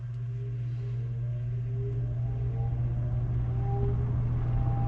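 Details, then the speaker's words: Lakewood metal-blade box fan, freshly oiled, started on low: low steady hum with slow, even blade-chop whoosh, no rubbing or rattle; owner thinks the slow speed is the motor's natural speed. "That's just starting it on low. Yeah, it's not turning very fast, is it? It's pretty slow, low speed."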